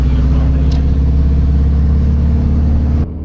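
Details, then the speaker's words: Subaru WRX driven on the road with one drive shaft removed: a deep, steady engine and road drone under light throttle with no grinding or scraping from the driveline, so the earlier grinding noise is gone for now. "Well, it's driving. I don't you don't hear the the grinding noise anymore."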